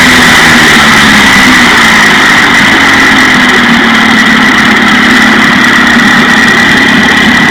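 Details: 1956 Johnson 15 HP outboard after new points were fitted on the misfiring top cylinder: steady, even buzz at constant speed with no stumbles or missed beats, now firing cleanly on both cylinders.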